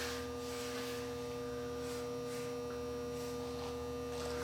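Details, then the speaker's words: Marantz 2230 receiver just switched on, heard through headphones: steady mains hum with rough scratchy static bursts coming and going; dirty controls, volume control the culprit, needing cleaning. "right off the bat I can hear static, and I can hear that the controls are very dirty."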